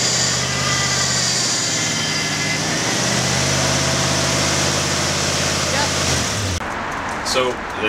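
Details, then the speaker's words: Barn-find 1986 Ford F250 after engine rebuild, first drive under own power: steady, even engine drone with smooth low pulse, no knocks or ticks, pulling away cleanly; engine runs healthy. "this is the first time it's moved under its own power since we pulled the engine out and we've just done so much work since then rebuilding everything cleaning painting so it's kind of exciting that it ran really nicely and it drove"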